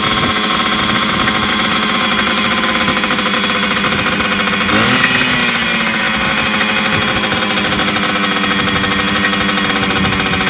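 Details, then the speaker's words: 1980s Yamaha MX100 two-stroke first start after fuel tank cleaning, fuel tap unblocked and new fuel pipe, choked, premix fuel; buzzy fast steady idle that never settles; idle too high, owner suspects the throttle. "So there you go, it did start. It is revving a bit fast."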